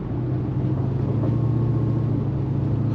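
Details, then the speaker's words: 2008 Tahoe with factory 6.2 V8, supercharged, with headers and a loud muffler, fuel trims adjusted, timing 16°: deep steady idle rumble with a faint thin blower whine on top; normal supercharger noise at idle. "um that whyne that get old sounds pretty cool you can kind of hear it just sitting"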